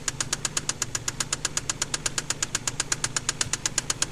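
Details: KLZE V6 with spun crankshaft bearing on cylinder No. 6, sharp regular knock about two to three per second over steady idle; rod knock.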